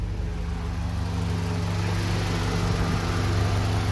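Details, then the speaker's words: Honda CRX Del Sol after B16 swap, idle: low even buzzing hum heard inside, same vibration felt near fuel filter/pump area; fuel rail pulsation, fixed by installing pulsation damper nut on fuel rail. "pare că se aude din zona filtrului sau pompei de benzină. Că este aceeași vibrație."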